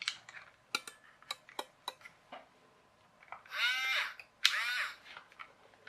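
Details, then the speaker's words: Robot Wars Shunt radio-controlled toy hammer motor on a two-cell battery: two short high motor whines with small clicks; motor spins freely but the loose, split pinion gear does not turn. "You can probably hear the motor is spinning fine, but that little pinion gear isn't moving, and that's because it's loose, which probably means it's split."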